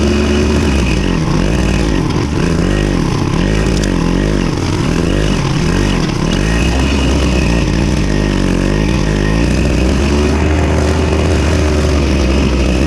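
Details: Victa Super 24 / Super 600 70-series two-stroke side-discharge mower, after carb clean: loud, steady drone holds pitch while cutting thick growth, no misses or surging; running normally under load.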